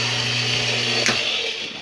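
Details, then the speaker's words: Whirlpool direct-drive washer set to spin but won't spin: steady motor hum with a harsh, high grinding rasp from the bottom front and no spin-up; worn drive coupling. "a noise coming from down at the bottom of the front the best way explain it if you can't understand it from the phone from that camera what that is it's a drive coupling they go bad like crazy on these washers"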